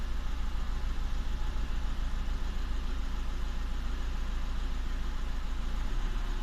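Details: VW Touran 1.9 TDI diesel at idle: regular lumpy beat with one cylinder stumbling; cylinder 3 misfire code points to a faulty number three injector.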